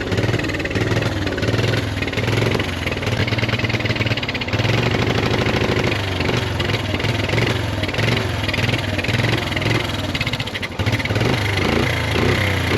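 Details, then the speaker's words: 1986 Honda ATC 125M three-wheeler, single cylinder: steady even putter with firm low thump; idles smoothly and runs fine. "We are just rocking the '80s Honda and we love it. They they still start up and run."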